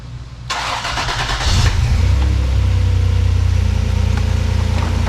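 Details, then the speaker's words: 1994 Toyota 4Runner 3VZ V6 after major engine repair, flipped plug wires corrected, exhaust reconnected. The starter whirs, then it settles into a deep, smooth, steady idle. "so it's running pretty smooth now"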